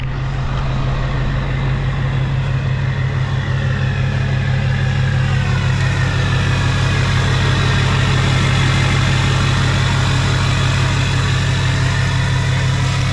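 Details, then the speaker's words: Hummer H1 Duramax diesel just started after sitting 2.5 years on old fuel, primed a couple times: steady even diesel clatter at idle, deep settled rumble, no misses or knocks; normal healthy idle. "I was not expecting that I fired right up it was crazy"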